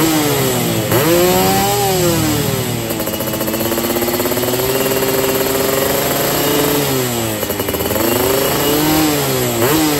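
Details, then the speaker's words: Yamaha F1ZR two-stroke free-revved at roadside, 145 main jet, NXL racing exhaust, after holed piston from CDI ignition; buzzy, sharp and dry at each rev top — sounds lean, carb not yet tuned. "Oke, terdengar suaranya masih kekeringan ya guys ya. Ini Emang gue belum setting juga karena di rumah gue nggak bisa belayer."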